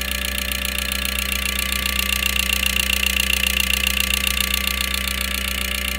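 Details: 2012 Mazda CX-5 at idle with regular light ticking pulse and slight stumble; scan tool shows cylinder 4 misfire, lean spark plug, injector 4 heavily carbon-fouled despite new coils and carbon cleaning; fixed by injector work.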